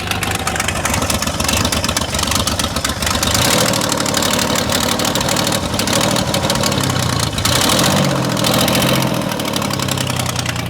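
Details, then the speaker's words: Engine started after crank angle sensor and harmonic balancer job, battery hooked up in hope of bypassing the immobilizer: loud, harsh idle with an uneven chuffing beat, ragged when revved, sounding angry on one side; running rough, probably misfiring. "There she goes. It's loud. She sounds angry over this side."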